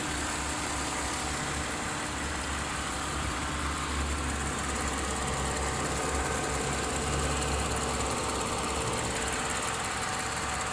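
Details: Mercedes W204 idling after warming up: faint steady whine over the low rumble, also at startup and when turning; belt and pulley replaced without effect, cured by topping up low power steering fluid.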